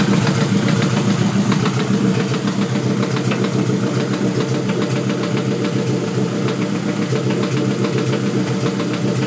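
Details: Honda with LS block and VTEC head: steady idle with a dull, fairly regular tap about twice a second from the bottom end; owner thinks it sounds like rod knock but is unsure.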